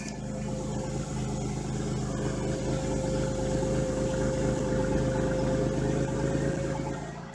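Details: 1997 Buick Regal GS supercharged, with new plugs and wires and cleaned MAF and IAC, cold start: steady, even idle with smooth low hum and faint constant tone on top, no knocks or misses; normal idle.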